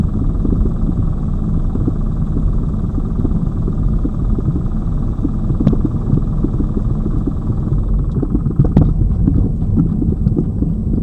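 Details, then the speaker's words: Lada Vesta Cross, old original right front strut (only the left was replaced under warranty), dashcam aimed at the right strut mount, mount insulated with rags, driving over bumps: sharp single knocks over road rumble; the strong knock remains on the right. "здесь же вот эта правая получается стойка амортизатора она старая здесь же у меня был сильный звук этот"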